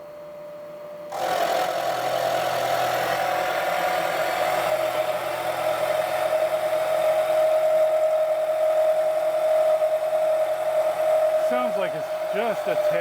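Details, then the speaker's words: Milling with a fine roughing end mill, taking 0.375 in wide by 0.5 in deep, a heavy pass; steady, fairly high singing tone, cutter speed suspected a tad too fast. "Maybe it's too much. Seems like it might be too fast, but I don't know."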